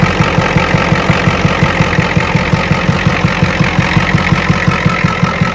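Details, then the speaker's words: 1986 Ford F350 6.9 IDI diesel after the batteries that failed a load test were plugged back in: fires immediately into even diesel clatter with crisp regular knocks at a steady idle, no misses or stumbles; normal healthy idle. "Just like that, after one defective battery, you're gonna run a key engine. It fires immediately. Well, what do you know? It works."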